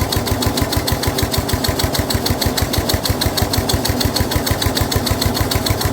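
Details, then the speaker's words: Snapper rear engine rider, Briggs 12 HP single-cylinder, abandoned for years, new carburetor: steady, slightly uneven thumping with dull drag as mower blade turns when it shouldn't, loading the engine; this load also made starting hard. "The blade is turning, by the way, so we are fighting that. It shouldn't be, but it is."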